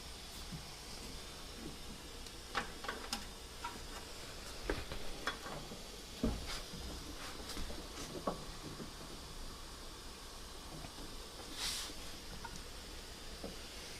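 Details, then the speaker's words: Turbo VW air-cooled engine intake pressure-tested to about 10 psi with engine off: soft continuous air hiss with handling clicks, felt escaping at an injector hole in the manifold; intake pressure leak. "Here's something I can't quite make out where it's coming from. Almost sounds like it's coming from the manifold here. Yeah, it feels like it's coming out of the injector hole there."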